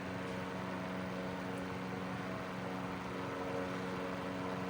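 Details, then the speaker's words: 1941 Gilbert desk fan, rewired to replace deteriorated taped connections, on low at 0.51 amps: smooth, even hum with a steady low tone and no rattles or scraping. Normal running on low speed. "And there's no strange noises to this. It actually sounds like a machine, not some piece of junk."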